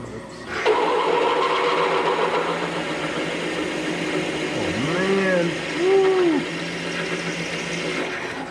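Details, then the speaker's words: Freshly sharpened big, long drill bit drilling metal for a Frick Sawmill idler pulley bushing: steady motor hum with a wavering, warbling cutting tone and chatter; vibrating but cutting cleanly, metal coming out. "Yeah, it's big, it's long, it's making some vibrating noises, but she's cutting."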